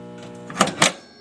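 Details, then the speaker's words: Original 1954 bandsaw motor starter humming loudly with a steady, buzzy, rough electrical hum; it was found hot to the touch, so something is going bad inside; starter to be replaced with a new one. "I am having a problem with the bandsaw my motor starter there is humming real bad I think you can hear it"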